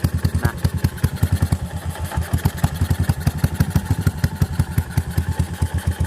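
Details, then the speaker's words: Yamaha SR400 single-cylinder at idle: a sharp, even ticking clatter on every beat from the top end; a valve rocker arm has left-right side play that it shouldn't have, causing the loud engine noise. "แต่มีตัววาล์วนะครับที่มันขยับได้ซ้ายขวานะมันไม่ควรที่จะขยับแบบนี้นะครับโอเคนะ"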